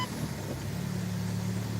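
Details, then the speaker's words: Car idling in gear with some gas: steady low buzzing drone as the engine shifts on a worn engine/transmission mount making metal contact, sometimes fading in reverse. Worn engine torque mount buzzing. "that engine mount is now making metal metal contacts that metal to rubber contact"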